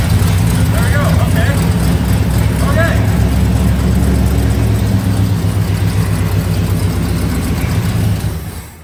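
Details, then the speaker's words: 1966 Lincoln Continental, first fire in 2 years on a small splash of fuel poured in the carb: it catches, runs roughly for about eight seconds, then fades and stalls. It isn't drawing fuel from the tank, a fuel delivery issue. "okay okay that was actually surprisingly easy to get it to fire off for the first time that's good news for us after 2 years of not knowing so we know that we're having some fuel delivery issues"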